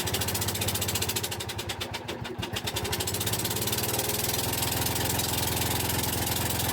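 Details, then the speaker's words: 2004 Husqvarna yard tractor that sat unused from 2014: the small engine pulses unevenly, stumbles and dips, then dies after driving about 30 ft. The owner suspects bad old fuel or not enough throttle or fuel. Rough running and stalling. "I'm sure you heard it just die not really sure what that's about but it's uh it's probably trying to burn through some bad fuel or anything that's in it so it's not very happy about that"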